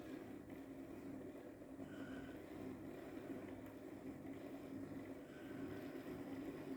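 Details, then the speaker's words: Hornby Class 57 diesel-electric model locomotive on a test bed after rewiring with heavier wire, at 11 V drawing just under 0.1 A: faint, even motor hum at a slow crawl with no stutter or surging; runs smoothly. "we'll just turn on the controller and you can hear she's running"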